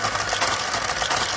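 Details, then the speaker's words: Serviced motor-driven knitting machine carriage (replacement used motor, new row counter) knitting the same function on every needle without a card: light even whirr and clatter, steady, quiet, strong pull with no strain; drive healthy, if not the fastest. "and you hear it's very steady very consistent it's not the fastest Carriage that we've gotten but it's really nice and smooth runs very quiet it's got a nice strong pull to it"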